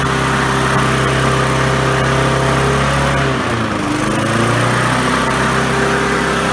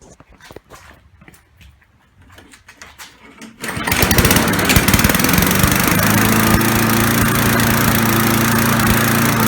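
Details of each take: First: Briggs & Stratton 3.5 hp four-stroke push mower after replacing failed carburetor fuel diaphragm and securing loose line: runs steadily, dips briefly, settles to even surge-free hum, governor idling up and down normally. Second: Briggs & Stratton 3.5 hp four-stroke push mower: engine catches after some clicks and surges, its pitch rising and falling from running too rich, with black exhaust smoke; caused by a failed carburetor fuel diaphragm.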